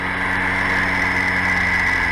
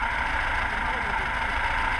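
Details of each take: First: VAZ 2106 carburetor engine after idle repair, idling around 900 rpm: steady, even idle with a smooth constant hum, no misses or knocks; normal idle. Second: Carbureted VAZ 2106 (Lada) whose idle became unstable a couple of days ago and periodically stalls; unplugging the idle solenoid valve changes nothing: unsteady, hunting idle with a ragged low rumble, from a clogged carburetor idle circuit.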